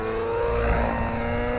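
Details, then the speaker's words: Nitro RC engine running excessively rich with heavy smoke, under load then off load: high buzzy note that holds and recovers quickly as load comes off, smoke unchanged; sign of an excessively rich mixture. "See, very fast recovery, still smokes, no problem. This is the sign of a very rich engine, excessively rich."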